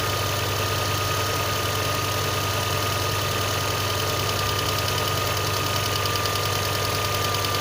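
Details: VAZ 2112 engine, cold: steady idle with a light uneven tapping about two or three per second; knock cause not determined.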